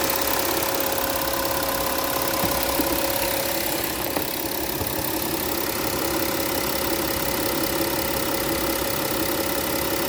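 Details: 2015 Porsche Cayenne Diesel (DOT 2) at steady idle, heard from the front: a light, quick, unchanging injector and high-pressure fuel pump tick over an even idle, which is normal for this diesel.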